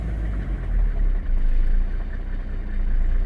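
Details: 1995 Mercedes-Benz E300 diesel (W124), inline six, idle heard from the cabin: deep, even low rumble, steady with no knocks or misses; temperature gauge never passes 80°C even in traffic; healthy diesel idle.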